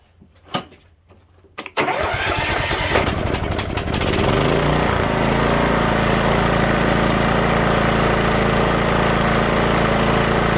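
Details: Cub Cadet LTX1045 riding mower, Kohler Courage 20HP, with fresh fuel added after dying off choke (head gasket and valve work done earlier): a couple of pulls, then it catches and runs steadily with no misses or surging.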